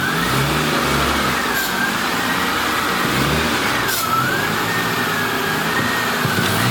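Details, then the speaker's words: Just after the transmission was filled, clutch pedal adjusted and bled: engine running with a high, steadily wavering scraping squeal; the alternator is rubbing on a bolt on the traction bar. "That noise that you guys are hearing, Yeah. that noise is actually the alterna"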